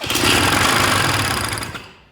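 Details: Polaris Trail Boss 250 two-stroke, long unused, with spark and mixed fuel poured in: fires and buzzes hard under two seconds, then dies; owner plans to work on the carburetor.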